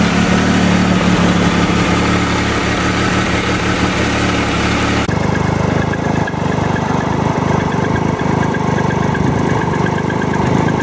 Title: Tiger Explorer 2012 rattling noise